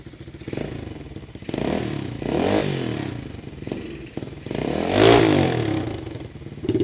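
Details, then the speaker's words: Rebuilt 125cc-swapped Chinese pit bike (new cylinder and piston) with freshly welded muffler: repeated throttle blips climb and fall cleanly with a crisp, even single-cylinder bark, no rattles or misfires; healthy, free-revving, better exhaust note in this muffler orientation. "That's definitely the quietest right there. I think that has a better exhaust note though. Wow. I cannot believe how good that sounds."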